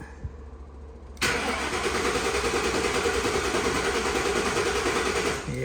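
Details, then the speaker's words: 1960 Ford F100 panel truck with Crown Vic engine swap, wiring being redone: starter spins steadily about four seconds, engine never fires; crank-no-start, owner suspects keyless-entry security system or unhooked grounds. "she ain't getting no fire."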